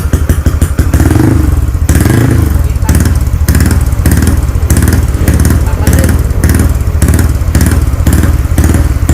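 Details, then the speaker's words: Freshly rebuilt Wave LED engine (59mm, stroke 5, 4-valve head, 24/21 valves, manual clutch, HiSPEED parts), just started after assembly: even quick single-cylinder thumps, steady low note, no knocking or clatter — runs cleanly, very quiet. "เครื่องเงียบกิบได้ๆๆสุดยอดเลยครับช่างเงียบกริ๊บเลยนะ"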